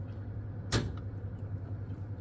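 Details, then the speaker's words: Nordyne 2.5-ton heat pump package unit with a replacement heater kit, R jumped to W1: one crisp click over a low hum as the heat strip contactors pull in. Both strips then draw about 21 A; engaging normally. "I heard them click. Did you hear them?"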